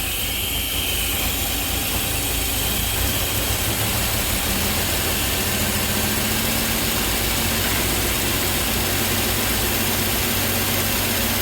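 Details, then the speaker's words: 3800 NIC-cam Grand Am GT (F23 swap) after new coils and ICM, first start on key: uneven lumpy idle with busy hiss; owner suspects bad vacuum leak, battery looks not to be charging. "Hey, she started with the key, baby! Definitely sounds like it has a bad vacuum leak somewhere."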